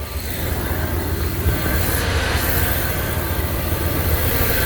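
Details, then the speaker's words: Second-gen Dodge Ram after replacing a warped idle air control valve that caused rough idle, stalling when stopped and a suspected vacuum leak; steady, even low rumble with no dips or hunting, smooth healthy idle. "So there you go. As you can see, she's purring. Hopefully this holds up."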